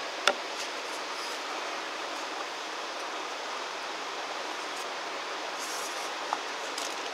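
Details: 2014 Mercedes E350, vacuum test at the oil filler cap while diagnosing the PCV/centrifuge cover: steady airy hiss of air drawn through the valve, showing strong crankcase vacuum; PCV fault suspected, not confirmed.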